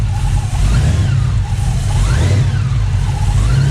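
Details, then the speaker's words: Engine with SRT Max Plus cam and 2.9 Whipple supercharger, newly installed; after belt noise traced to a suspected faulty tensioner, steady engine note with clean rev rises and drops, no squeal or rattle from belt drive; normal running. "so as you guys can see now we don't hear any more noises and i believe it was the tensioner"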